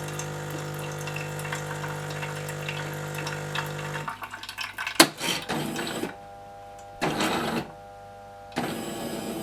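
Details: Jura Z5 coffee machine, repaired for a terrible rattling noise: steady humming drone then short pumping bursts stopping and starting cleanly, no rattle; pump sounds healthy.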